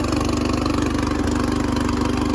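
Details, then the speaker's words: Riding lawn tractor with 13.5 hp engine: quick, even single-cylinder pulses at a steady speed, no misses or knocks; runs healthy. "his one runs really good, so I figure I'll show it running and the mower works."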